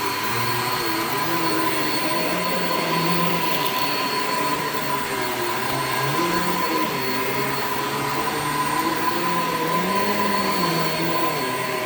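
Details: Shark Infinity Pet Care vacuum vacuuming a living room: steady roar with a hum that wanders up and down and creaks; the very old worn drive belt is slipping, brush roll stopped many times, needs replacing.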